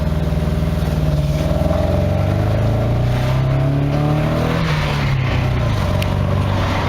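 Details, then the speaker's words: Nissan N13 Pulsar/Sunny CA18DE revving with a rough, pulsing beat and uneven drone: a failed ignition coil leaves it running on three cylinders. "so I'm not running quite right she sounds like it's running on three cylinders on three cylinders"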